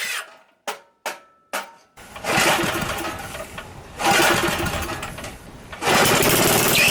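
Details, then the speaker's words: Revived single-cylinder Briggs & Stratton engine pull-started and running, with harsh high screeching bursts from a dry, binding recoil starter; later fixed by lubricating it, while the carb and gas tank still need cleaning. "the recoil thing I know you can hear that screeching it's it's not good"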